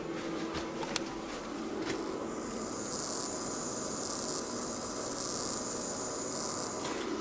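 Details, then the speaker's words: Pyle-Pro PTA1000 1000 W two-channel DJ power amplifier with no music playing: steady high-pitched hiss from the speakers, unchanged whether gain is set high or not; amplifier output noise floor. "the same noise coming through the speakers doesn't seem to make any difference if that's on high or not"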